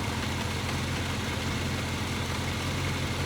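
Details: 1983 Kawasaki KZ750 Spectre, four carburetors refitted, fuel screws being adjusted: a smooth, steady idle with an even beat and no stumbles, with the mixture screw at its best setting.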